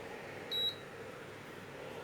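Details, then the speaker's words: Induction cooker with the earlier plate put back on: one short high beep, hob stays off and shows an error code; no-pan detected warning. "ඔන්න ඒක on වෙන්නේ නැහැ එරා code එකක් එනවා"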